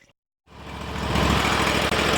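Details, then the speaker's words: Sears Suburban loader tractor, 20 hp Briggs & Stratton Vanguard V-twin, after smoking heavily from gasoline in the oil (fuel left on): catches and runs evenly with no misses, knocks or smoke once fixed; carb still to be pulled apart properly. "And she's fixed. There we go. Besides cleaning the carb, no more smoke. That's a good sign."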